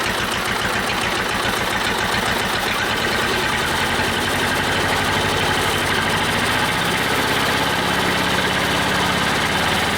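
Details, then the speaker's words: Old Detroit Diesel two-stroke four-cylinder dozer idling lumpy and irregular with missing pulses, during the Bon Ami cleanser honing-while-running attempt. Compression was 150, 90, 0, 0; two cylinders are dead. "we're gonna jack this guy back in there and uh crank it over on one cylinder but i i doubt the bonami trip is gonna do anything other than put bonami in the oil"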